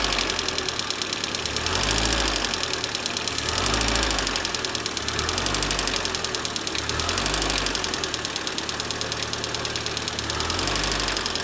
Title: Стук гидрокомпенсаторов мотора 21124